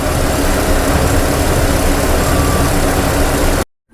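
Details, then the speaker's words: LS3-swapped S-10 Blazer after a Lokar LS Classic intake manifold conversion with no MAF, after a test drive. Loud V8 idle with an uneven, slightly lumpy wobble; owner suspects it may clear once the computer adapts to having no MAF. It accelerates normally. "It performs pretty good, accelerates like normal, and the only thing that I've noticed is it don't idle smoothly. Has a little bit of a, you know, wobble to it."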